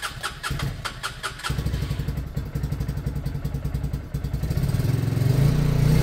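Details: Lexmoto Michigan 125cc single-cylinder motorcycle after an ignition fix, with a carb that is not new or clean: catches after a few turns, then an even, steady beat that builds cleanly with throttle. Smooth, normal running.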